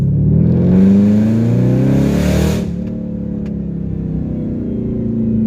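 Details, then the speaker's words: Dodge Charger SRT8 after upgrades, accelerating hard: a thin whine climbs with revs through the pull then drops as throttle lifts; unexpected whine under acceleration, source unknown. "There's a little bit of a whine. I was definitely not expecting that little whine that just came out of the out of the car."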